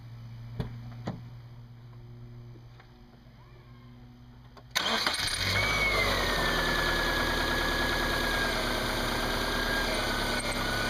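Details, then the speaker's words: Subaru with glazed belt, fork-type alternator bracket: after start, high squeal over idle as steering wheel is worked, loading the power steering pump; worse at times, possibly temperature-related; new belt planned, alternator rebuild considered. "you could hear when I work the wheel back and forth that it loaded up the power steering pump and you can hear the squeaky squeakies it gets worse than that at times"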